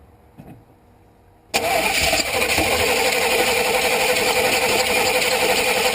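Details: 1988 Chevrolet 2500 pickup, 5.7L TBI, no start unless fuel-primed despite new MAP sensor, fuel pump and regulator; starter spins the engine at a steady even pace but it never fires; cause was a failed spark module, fixed by replacement.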